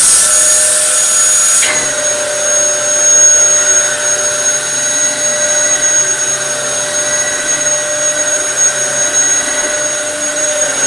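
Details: Dyson DC07 vacuum after full restoration with fresh belts (previously ran but had lost all suction): motor spins up to a smooth, steady high-pitched whir with even suction roar, no rattles; sounds healthy.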